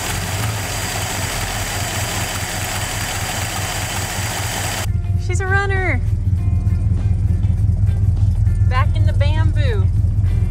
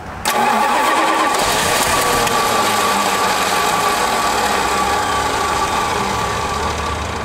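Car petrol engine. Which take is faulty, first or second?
second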